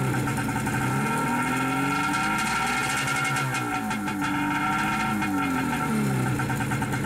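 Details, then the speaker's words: Wave Raider personal watercraft two-stroke, long-sitting, fuel treated with Seafoam, run briefly as cooling water starts moving after a suspected blockage: steady running with slightly wavering pitch, no knocks or rattles; sounds healthy. "Okay, it sounds like water's moving through there, so hope so. I'm not gonna let it run too long."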